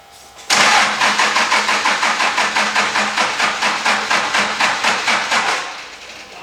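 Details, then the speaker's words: 2003 Dodge Cummins diesel farm truck, fuel pump wire jumped: strong rhythmic cranking around five compressions a second that never fires; no-start, fuel delivery suspected, battery to be charged and fuel supply checked. "no juice i guess i guess we're gonna let the battery charge for tonight i'll try it tomorrow make sure i'm getting fuel to the stuff"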